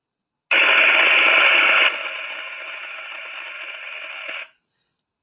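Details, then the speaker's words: A continuous harsh sizzling hiss eases slightly, then stops. Audible partial discharge between phases at a very high 47 dBµV, possibly accelerated by humidity in the box, recorded with an Ultra 3 plus 2 instrument. The algorithm predicted 100% certainty of partial discharge. "the algorithm there predicted 100 certainty that the sound was being caused by partial discharge as well"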